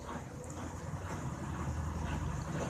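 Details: Brastemp top-load washer spinning after replacing the broken upper rubber bushings on the shock absorber rods that made it jump during spin: steady low rumble, smooth, no knocking or banging.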